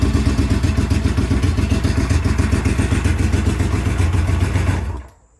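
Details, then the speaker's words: Vintage twin-cylinder motorcycle that had been sitting, started on a NOCO NLP14 lithium battery: even thump at a settled idle for about five seconds, then shuts off cleanly. Normal start and running. "it's been sitting for a little while, but long story short, that's a success too."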